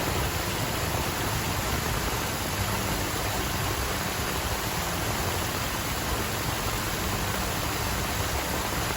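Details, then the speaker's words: 2005 Dodge Ram 1500 4.7-liter V8 after water pump replacement with a brand new belt: steady, even running rush with no squeal, chirp or knock; the earlier noise is gone. "The water pump has been installed. No more noise. Brand new belt."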